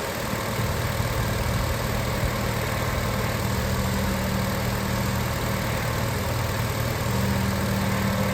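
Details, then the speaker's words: 2006 Acura TSX on a cold day, after replacing the two O-rings on the power steering pump inlet and outlet hoses: steady, low idle with no pump whine or groan when turning the wheel lock to lock. Earlier whining is gone and fluid bubbling has nearly stopped. "I don't know if you can hear it through the video, but I don't hear any more sound."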